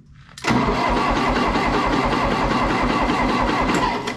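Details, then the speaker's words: 1960 John Deere 1010 diesel tractor, first start after budget engine rebuild, glow plugs used: starter drags the engine over slowly, labored compressions, never fires; owner blames a dying jump pack for cranking too slow to start. "my jump pack is dying you believe that come on man give me some juice it's spinning too slow you got to be kidding"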